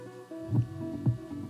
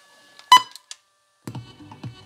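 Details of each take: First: A 35-40 year old Panasonic RQ-V520 personal cassette player plays the forward side dull and boomy with no treble, while the reverse side sounds fine. The head was cleaned, and the cause is the deteriorated forward side of the head, not azimuth. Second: Panasonic RQ-V520 personal radio cassette player, 35–40 years old, cleaned head, reverse side playing: music with clear highs and solid bass, no dropouts or muffling; head reading the tape properly.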